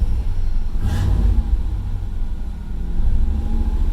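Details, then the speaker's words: Third-gen Camaro revved in park during test drive: deep rumbling rev swelling and falling with slight roughness underneath; misfire doesn't clear, noticeable vibration. "see if it comes out of that misfire nope pretty good little vibration coming out of it too it's not horrible but it you definitely notice it"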